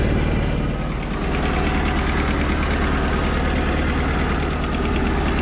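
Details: Mercruiser inboard after starter solenoid replacement, starting first try without pumping: deep, steady low rumble with an even idle beat and no misses or knocks; normal idle.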